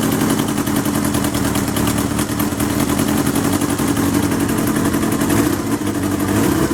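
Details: 1977 Kawasaki KZ650/Z650 B1 four-cylinder, air screws 2¼ turns out (manual says 1½), second-hand starter fitted; busy, uneven idle with a lumpy, hunting beat and exhaust chuff; carbs unsynchronised, still need balancing.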